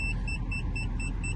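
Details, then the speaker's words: Mercedes C180 Sport in reverse: quick evenly spaced high beeps about four a second over low engine rumble; parking sensors beep a lot but work, stopping when put in drive. "I can hear the beeping coming from from the coming from the parking senses but not sure if they're working cuz they seem to be beeping quite a lot trying to reverse into"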